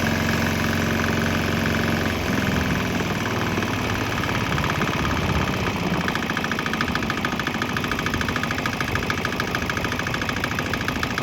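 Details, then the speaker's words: Swan X 165F Chinese single-cylinder diesel running on straight used canola (fryer) oil, restarted on it; steady, even thump about two beats per second, no misfire or stumble. The engine runs cleanly on the waste vegetable oil. "think that kind of proves it. It'll run on straight canola oil, straight used canola oil, which means I'll probably run on straight used vegetable, regular straight up vegetable oil, and who knows what else."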